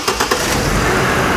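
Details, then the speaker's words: 2004 GMC Envoy after replacing the water-damaged cylinder coil behind a misfire code, code not yet cleared; after a few clunks the engine settles into a smooth, even run with no misfire; normal running. "see now the car running very beautiful very smooth no misfire no nothing"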